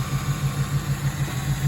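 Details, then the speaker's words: 1997 Ford Thunderbird 3.8 V6, hot, with overheating issue and failed cooling fan: lumpy idle and choppy acceleration with uneven chuff over a low rumble and engine vibration; at least two cylinders misfiring, injector wiring and coil pack/ignition wires to be checked. "hear that choppy acceleration that means that at least two cylinders are not firing or they are misfiring"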